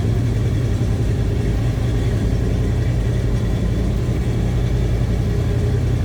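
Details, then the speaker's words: 1976 GMC Sierra Classic C1500 pickup with numbers-matching 454 big-block V8 and Turbo Hydramatic 400 automatic: deep, steady, even rumble through the exhaust, no ticks or misfires; normal idle. "little Rumble coming out of that 454"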